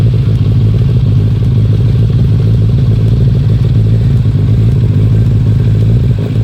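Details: 1996 Suzuki Katana 600 sport bike bought cheap as a project: starts up and runs really good, deep steady four-cylinder burble, even, no knocks or misfires; normal healthy running.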